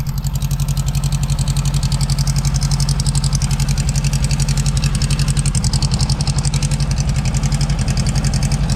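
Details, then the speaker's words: 1972 VW Beetle-based Domus pickup, air-cooled flat-four, off the road since 1989, idling after an older blue Bosch coil with an added resistor was fitted; steady even putter of about four beats per second, no stumbling, healthy idle. "I just put a resistor on it and it fired up and ran and it ran great and it's so far it's still staying running."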